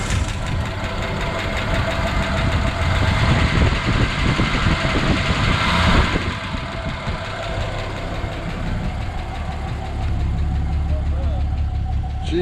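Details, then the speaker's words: Ford XW with 250 pre-crossflow six and C4 auto, first start in 17 years after radiator top-up: rough cranking catches into a lumpy, uneven low idle, loud but no clear knock, slight tap expected; normal start after long storage. "sounds all right bro not too bad we'll put some fresh oil in it"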